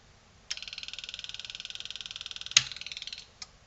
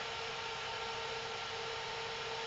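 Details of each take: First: Selco Genesis 140 A inverter arc/TIG welder on the bench during repair, sense lines left off: right after switch-on a high buzzing chatter about fourteen times a second for two seconds, then clicks off; welder trying to run, suspected via an unidentified sensor. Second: Selco Genesis 140 A inverter arc/TIG welder after repair, powered on and left running, not test-welded: steady, even fan hum with a faint constant whine and no pops, crackles or buzzing. No horrible noises heard.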